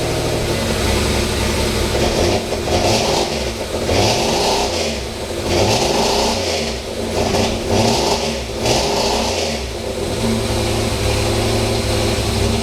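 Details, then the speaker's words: Pontiac Fiero with its 2.8 litre V6 and five-speed, last run before swap to supercharged 3800: smooth even idle with several clean revs up and down, no knocks, misses or whines; healthy engine. "so we'll do one last test start and then jump in alright let's listen to this engine in this car for last time"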